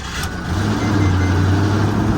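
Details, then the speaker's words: Ford F-150 starting after a new starter was installed (fuel pump also failed): brief crank, then the engine catches and settles into a steady, even idle; the replacement starter works normally. "it started. There we go. Starter worked."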